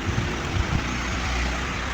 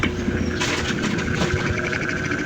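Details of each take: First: Panasonic 15 in (40 cm) stand fan after repair of a humming fault, running on speed setting one; steady, even rush of air with low hum, no rattle or grinding; fan runs normally. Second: Panasonic 15 in (40 cm) stand fan on speed 1: the motor hums loudly, a steady drone that struggles, sometimes turning and sometimes not, because the worn shaft bushing has large play, leaving the rotor off-center.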